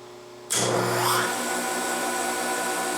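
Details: Yates American J180 thickness planer motor, first run after stator lead repairs and a repaired motor bell, fed from a rotary phase converter with its wild lead moved to another motor lead: motor kicks in sharply, comes up to speed, hums steadily; normal start.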